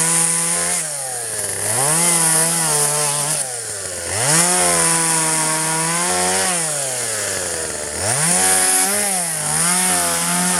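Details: 1997 Poulan 2150 chainsaw, 23 years old, owner guesses 2.1 displacement; warm, just run; dull chain cutting box elder tops. Revs high, bogs under each cut, recovers cleanly every few seconds with no sputter or dropout; normal cutting.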